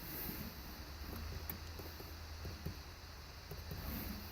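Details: 2001 Dodge Ram with replacement dash, heat/air vent after rubber padding was glued behind it: only a faint low hum and soft background sounds, no buzz or rattle; no rattle.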